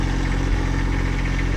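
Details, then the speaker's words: Generator on a Peterbilt 379 flatbed truck, running with cover off before weather stripping: low steady quiet hum, no banging; annoyance came from vibrating cover metal, sounds normal. "It's not that bad. It's the vibrating of that metal which is making it annoying. But other than that, just kind of a quiet hum."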